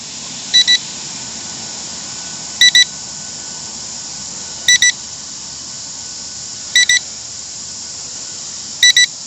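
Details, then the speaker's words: Temu XD1 Pro Mini drone with brushed motors: paired high beeps repeat about every two seconds over a quiet background; warning alert, cause unclear. "I hear ya. Don't you just hate that noise?"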